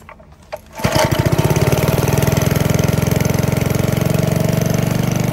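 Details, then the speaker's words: 1951 Briggs and Stratton 6B-SF, 1.75 hp, 3600 rpm rated, barn fresh; cold start at about 30 degrees after overnight, choked, no primer, governor spring moved to slow rpm: fires on the next pull after one or two choked pulls, settles into steady even low thump; normal cold start and idle. "and for a cold start this thing really started up nicely i choked it gave it what one or two pulls turned off the choke and then she fired on the next one"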